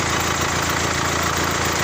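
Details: Mitsubishi Pajero Sport diesel (owner thinks about 3.2 L) at idle: a sharp, regular knock riding on each firing cycle from the No. 4 injector stuck open; it was fixed by fitting a new injector, after which it ran evenly.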